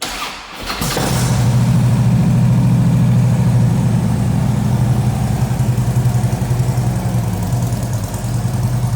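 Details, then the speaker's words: 2010 Harley-Davidson Ultra Classic, twin cam 96 cubic inch V-twin, 6-speed, 13,655 miles, in neutral: quick crank, catches and settles into a steady, deep, even potato-potato idle with no knocks or misses; normal start and idle. "This would have that twin cam, 96 cubic inch engine. 6-speed transmission. We will start it up, let you hear it run."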